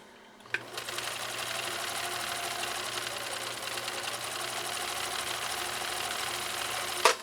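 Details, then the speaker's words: 1962 Husqvarna Viking 19E Special, one-amp motor at about 30% foot controller, three-point stitch through three layers of cowhide: fast, even whirring stitch rhythm, no labouring, clunks or slipping; normal sewing under load. "I was probably at about 30% on that foot controller about 30% I'm not making it up folks there's a lot more get up and go left on Cindy's machine"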